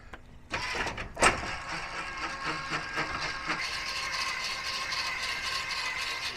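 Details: Newly replaced rear landing gear motor on an RV 5th wheel, wires connected and taped, lowering the gear: steady even electric whir with light gear chatter, no grinding or squeal; normal operation before lubing the worm gear.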